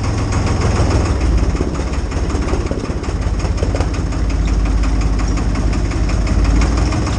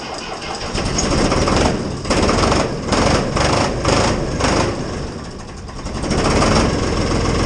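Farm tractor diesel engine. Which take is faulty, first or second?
second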